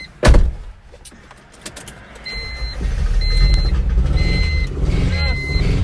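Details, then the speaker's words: 1997 Honda CR-V that would not start after its engine was pressure-washed, now trying again after the distributor pigtail was checked: a thump and chime beeps, then a steady rumble as it starts. Owner suspects there had been water in the cylinders. "holy crap it started let it run get it all out tail pipe let it run"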